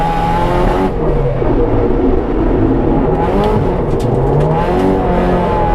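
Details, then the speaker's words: Track car on Willow Springs' Horse Thief Mile, after the timing chain tensioner re-gasket and valve cover refit: engine screams at high revs but the note stumbles and wavers under load. It is breaking up, cause unknown; it might clear on its own. "It's breaking up a little. Yeah, I heard. That might clear up on its own though, I don't know."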